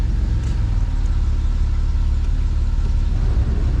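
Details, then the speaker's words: Barn-find Camaro after a fuel pump replacement and an AC recharge: steady, even low idle with a smooth rumble and no knocks or squeals; the engine runs fine with the AC blowing cold. "Did you seriously get the AC going? That's awesome. It sure did."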